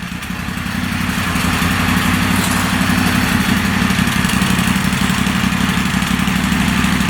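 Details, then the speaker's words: Moto Guzzi Stelvio replacement engine, first start after sitting six to seven years, running without an air box and charging at 13 volts with some smoke: even twin-cylinder idle with no knocks or misses. "yeah this Baby's Got a New Life it actually runs very nice"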